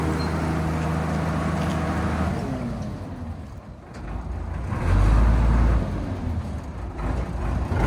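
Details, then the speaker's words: M5 gun tractor, tracked, road test after gearbox refit and bogie bolt repair; steady low drone rising with speed, no grinding or clunking; gearbox running better. "You can already tell the gearbox is better. You can hear it."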